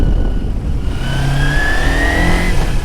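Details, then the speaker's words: 250cc small twin motorcycle ridden on a main road; clean rising engine tone as revs climb smoothly through the gear, no grinding or misses; it wakes up past about 5,500–6,000 rpm and pulls hard at high RPM; healthy acceleration. "let's open it up yeah this thing definitely opens up with the high RPMs not too bad for a 250."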